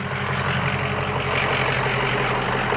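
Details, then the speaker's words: 2005 Ford Excursion 6.0L Powerstroke diesel, 186,898 miles, EGR delete, new injectors and turbo, ARP head studs, hood open: steady even diesel clatter at idle, smooth low rumble, no knocks or misses; healthy engine. "Sounds great. Like a healthy 6o."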